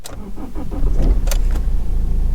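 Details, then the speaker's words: 2004 BMW E46 320d Touring diesel, 110,000 miles, unstarted for about 10 days and low on diesel: short crank, then catches and settles into a steady, even idle clatter; normal start and idle, no warning lights. "Starts alright. Bear in mind this car hasn't been started for about 10 days. Not much diesel in her, thanks very much."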